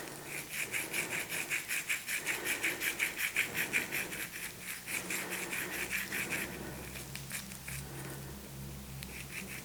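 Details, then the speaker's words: Planet X London Road bike, GXP bottom bracket, crank turned by hand: rough gritty rasp pulsing about three times a second, dry and harsh; bottom bracket bearing worn out. "Yeah, that sounds awful."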